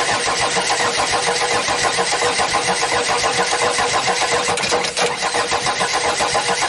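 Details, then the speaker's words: Audi diesel unused at least 12 years, battery and external fuel supply connected: starter churns at even few beats per second, no firing or catch; cranks but won't start, air in fuel pipe suspected. "I would try to let the air out of the pipe so the fuel could pass"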